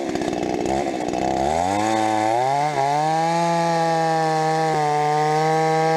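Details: Rebuilt Stihl 026 two-stroke chainsaw, cutting: climbs from rough idle to a high steady scream with sharp pops at the top end under load; owner suspects spark plug too hot.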